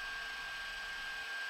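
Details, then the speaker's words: Creality Ender 3 upgraded to a 32-bit V4.2.2 board (non-silent) with a new press-fit extruder motor: a steady airy whir with a fixed high whine, around 55 dB (max 68). Only slightly quieter than the 8-bit board, possibly due to the newer motor; normal stepper noise. "so it's slightly just slightly more silent probably because the moto is newer than the previous one but you can see actually you can hear that the difference is not much"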